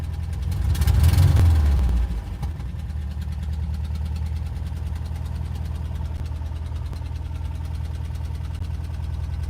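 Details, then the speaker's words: Van engine after a long crank to start, mic windscreen off. An uneven idle with a dull knock about three times a second and an early rev blip: rough idle with knocking; cause unclear. "Rough, bro. That sounds like [ __ ]"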